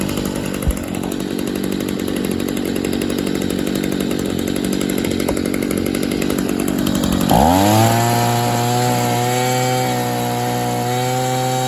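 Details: 2011 Stihl SH85 shredder-vac leaf blower after new spark plug, new fuel filter, slight carb adjustment and fresh mix, started on half choke: rough choked running steadies into a clean, even high buzz; normal running.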